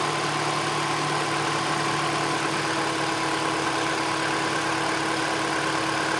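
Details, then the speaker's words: Mini Cooper R56 after maintenance, having a loud noise at start-up that then goes away (not yet diagnosed): even steady idle hum with constant tone, no knocks, ticks or stumbles; engine runs smoothly; normal idle. "Apart from that loud noise, the engine is now nice and smooth."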